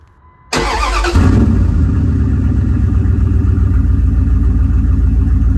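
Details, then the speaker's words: 2001 Dodge Ram 1500, about 215,000 miles, muffler cut off during catalytic converter and exhaust replacement: cranks and catches, then a loud, deep, raw throbbing idle with no muffling. "and here's what it sounds like with no Muffler and the old"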